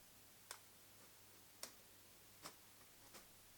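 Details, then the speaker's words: Nikon AF-S 70-300mm f/4.5-5.6G ED VR lens: faint irregular ticks from the VR stabilizer, which cuts out completely once zoomed past 100mm; known intermittent VR fault. "Now boom, now it's off. Once it goes past 100, once it goes past that 100 mark, that 100 millimeter mark, the VR is off. Completely off."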